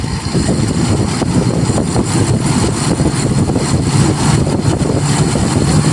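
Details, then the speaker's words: Toyota Kijang Kapsul 7K carburetor being set: engine climbs off idle with a sudden surge; the idle circuit cuts straight over to the relatively large primary jet instead of a smooth pickup. Abrupt idle-to-primary transition. "Sudah langsung hilang tadi yang stasionernya langsung putus gitu ya, pindah ke primer karena primernya termasuk relatif besar nih."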